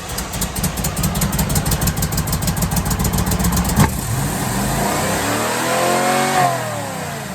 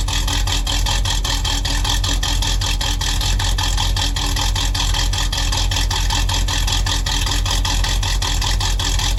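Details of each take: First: 1978 Chevy Camaro with mystery rebuilt cammed 350 small block, after idle screw turned up a full turn: lumpy cranking, then catches and races to a high roar; idle set far too high. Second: 1978 Chevy Camaro drag car, mystery rebuilt cammed 350 small block V8, Muncie M21 4-speed, first fire-up: rapid even exhaust pulses with raspy cam lope, steady smooth idle; runs normally.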